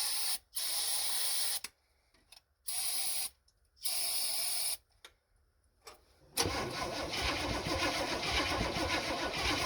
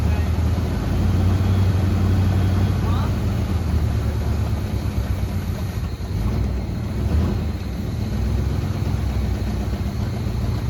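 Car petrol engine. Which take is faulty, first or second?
first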